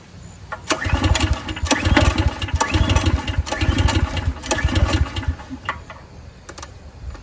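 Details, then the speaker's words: 14-year-old Briggs & Stratton generator unused 5+ years, choked: repeated recoil pulls, short chugging bursts about once a second, never catches; cranking no-start, starting fluid next. "and just like usual I've sat here for 10 hours and tried to crank on that thing so I don't got the patience for that"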